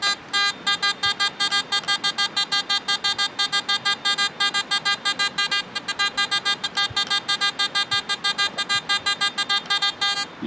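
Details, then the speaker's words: Garrett AT Gold metal detector with a 5x8 double D coil, using the DD wiggle pinpointing technique: tight back-and-forth wiggles over the target give sharp, even tone bursts about three times a second. This very repeatable signal means the coil is right on the target. "can just go back and forth real tight on the target like that, and when you hear that very repeatable sound, you're right on it."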